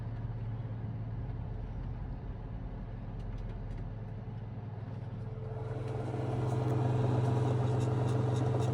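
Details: Victron MultiPlus-II 12/3000 inverter on 600 Ah lithium, switched from 60 Hz back to 50 Hz under a 2 kW wallpaper steamer load: buzz swells into rattly hum with fan running; stops when load disconnected, owner suspects fan interference.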